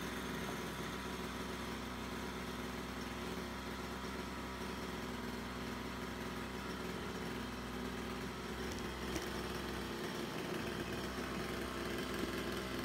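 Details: Small two-stroke brush cutter, after repair of a split fuel hose that had leaked fuel and stopped the engine mid-mowing; quiet, even putter with no stumbling or dying out, idling and running steadily now.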